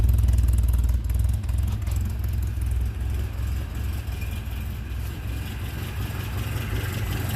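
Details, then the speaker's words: Four-cylinder engine restarted after much fuss, briefly backfiring: it settles to a low, even idle with a steady beat and no skips. Oil pressure, voltage and tach signal are all present, all four cylinders firing; normal idle. "okay we got fuel [Music] [Applause] sounds pretty good sounds real good this thing's gonna live now"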